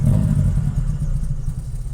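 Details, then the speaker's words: 1992 Toyota Corolla 16-valve: hard starting, no idle; uneven lumpy rumble dies once the throttle is released even after pumping it; spark plugs checked first. "pag-start mo walang Menor mamatay kahit na bombahin mo yan pag Bitawan mo yung"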